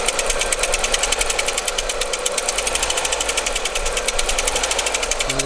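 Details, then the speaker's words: 2001 Skoda Octavia 1.8 turbo, idle steady: blipping the throttle brings a fast, even top-end tapping of about seven ticks a second; owner suspects a hydraulic lifter or a broken rocker, unconfirmed. Valve cover removed afterwards to inspect. "нажимаем и одновременно появляется стук здесь похоже на гидрокомпенсатор или который компенсатор или а рокера какой-то сломаны или что-то такого"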